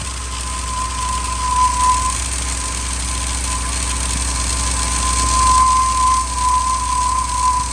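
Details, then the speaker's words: 2000 Ford F250 5.4 2V, cold start in freezing weather after sitting a few days, before cleaning: idle lopes unevenly at about four pulses a second with a shaky beat; rough idle from a dirty idle air control valve and throttle body. "y you guys hear that it sounds terrible"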